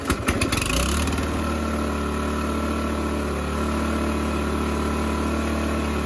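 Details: Toro 518 ZE snowblower after reassembly and oil refill, primed and pull-started, idling with the auger belt disengaged to check the auger doesn't spin before raising spring tension one notch; catches quickly and settles into an even, steady idle; normal idle.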